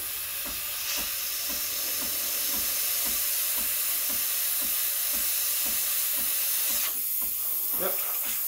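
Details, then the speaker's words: Breville Barista Express BES870 steam wand at full pressure after 10–15 s warm-up, strong steady high hiss with light gurgling pulse; no sputter or weakening, normal. "So I'm going to turn it off and put my jug. You want to hear that hissing noise? And that's when I'm bringing the tip close to the surface, injecting air into the milk."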